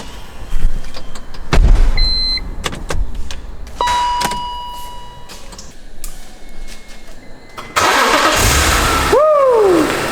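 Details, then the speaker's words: Barn-find BMW E46 M3 after fuel pump replacement and diagnostics: after a couple of dash chimes the engine cranks, catches at once and settles into a steady, healthy idle; a normal start, with a possible belt noise noted afterward. "yes and it sounds healthy sounds very healthy"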